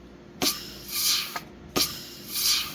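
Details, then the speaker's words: 4L60E input drum air test, reverse input clutch (1950 Chevy pickup build): sharp hissing air bursts about two a second, each fading; normal leakage through the piston bleed hole. "and that leakage you're hearing there is the bleed hole in the piston. A little bit of leakage you're hearing on the 3/4 was this bleed orifice right here."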